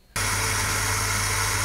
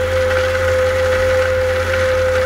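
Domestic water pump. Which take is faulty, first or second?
first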